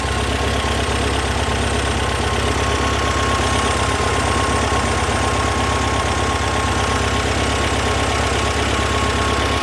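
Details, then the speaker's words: 1978 VW Super Beetle 1776cc flat-four after tune with base timing set, before idle mixture adjustment: steady, even putter idling at about 1000 rpm with no misses or pops; idling cleanly. "Running smooth right now. Usually this is a good dividing line where it starts jumping around like this. It sounds good. No pops."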